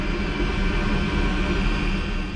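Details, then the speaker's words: Espar D4 diesel air heater installed on a sailboat, holding a set temperature set high: even, unbroken roar with steady low rumble, no surging, popping or rattles; functioning properly. "Hey everyone, just a final follow-up on the heater. It is functioning properly. Everything is working good."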